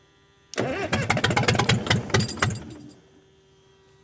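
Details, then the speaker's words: Cat 922 loader diesel on a 0-degree morning after a cylinder head rebuild and reinstall, started with ether. It cranks, fires in uneven lumpy bursts for about two seconds, then dies. Owner suspects air in the fuel system; suction filter element still missing. "Well, that's better. Well, there seems to be a lot of air. I don't know if I'm sucking air or or getting rid of it slowly."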